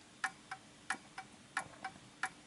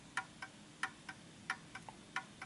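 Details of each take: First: Art deco Enfield Westminster chime mantle clock with its pendulum off centre: crisp ticks come in unevenly spaced pairs and then stop. The clock is out of beat and needs nudging to find centre. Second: Art Deco Enfield Westminster chime mantel clock, wound: crisp, even tick-tock about four beats a second with equal spacing; clock running in beat.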